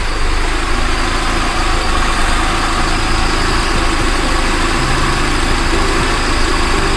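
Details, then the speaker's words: Carbureted car after distributor (delco), carburetor and throttle adjustment, idle set to 900 rpm so headlamps drop it only to 800; steady even low rumble, no misses or knocks, normal idle. "itu sudah berada di angka 900 RPM"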